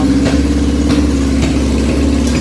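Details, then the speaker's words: 1981 Yamaha XJ650 bobber, four-cylinder, warming up after a week sitting, choke used: steady lumpy idle with a sharp pop roughly every half second; normal exhaust popping once warm. "So, as you can hear, it's popping and banging right now. But that's just that's how I know when it's good and warm enough. It'll start doing it more."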